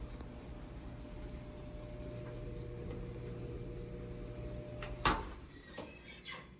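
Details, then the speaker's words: Mabe washer-dryer combo ("centro de lavado") dryer drum turning with a steady rubbing drone and faint thin squeal. The drum is removed to repair it. "Como pudieron escuchar, nuestro centro de lavado tiene un ruido en la tina de la secadora. Vamos a repararlo."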